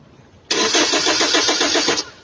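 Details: Hyundai Tucson that stalled and won't restart: brief, steady starter crank with an even chug, then silence, never catching; power present but no injector pulse trigger from the ECU on test light.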